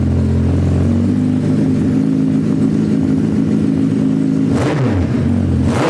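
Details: Suzuki Hayabusa GSX1300R after a wreck, two new main injectors fitted, no exhaust; loud open-pipe steady idle with two sharp throttle blips, all cylinders firing evenly; normal idle and revs.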